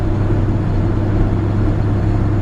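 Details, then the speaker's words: 1966 Chevrolet C10 Fleetside with original 250 inline-six, three-speed column shift and highway rear end, driving at speed: low, smooth steady rumble with road drone, no knocks, misses or whine; runs healthy. "just purrs like a kitten drives really straight down the road"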